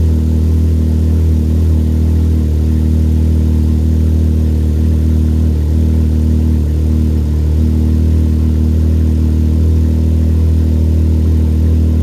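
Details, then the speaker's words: Can-Am Maverick X3 turbo at idle during the 5-minute burn-in after a new Yoshimura exhaust install, camera near the turbo outlet pipe: a deep, steady exhaust burble with no knocks or rattles. Normal idle. "So the instructions say to let it run at idle for 5 minutes. I'm going to start it up and while I clean up tools and see what happens."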